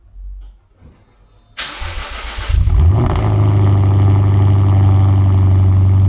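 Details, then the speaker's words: Lexus RC F V8 on cold start: cranks and barks, then a deep steady idle with a faint metallic rattle; owner suspects a crooked flange where the RR Racing mid pipe meets the axle-back. "I hear a little rattle on idle. So, I think it's the um where that RR racing mid pipe meets up with this axle back."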